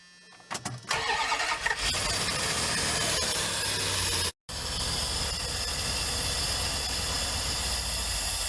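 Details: Old campervan started after sitting all winter, battery reconnected, fuel added, doghouse cover off: cranks and catches, then a loud, uneven rough idle with a hiss on top; cause unknown, owner may adjust throttle.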